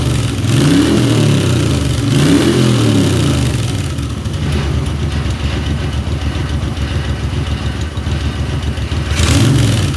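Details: Moto Guzzi twin on its first start after a top-end rebuild with new piston rings: catches and pulls through a couple of strong revs, then settles to a steady, even throb with no knocking or clatter; normal running.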